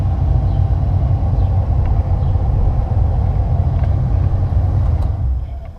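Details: 2006 Ford Expedition with newly replaced AC blower motor: strong, steady low rush of air with an even roar trailing off at the end; new blower running smoothly and pushing plenty of air.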